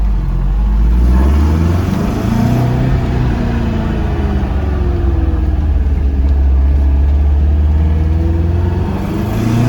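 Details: Porsche 914, 2056 cc engine, enlarged valves, performance cam, dual throttle body MegaSquirt EFI, Tangerine Racing exhaust, test drive: throaty exhaust rises smoothly through revs under load, no misses or knocks; good torque to high rpm, normal.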